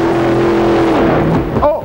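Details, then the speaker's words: Super modified pulling truck at the end of a pull after a shift: loud engine running hard, then dropping off with a couple of sharp pops; two backfires from the left bank, suspected to have leaned out. "yeah the the two backfires out of the Left Bank and that's not good could have leaned it out a little bit"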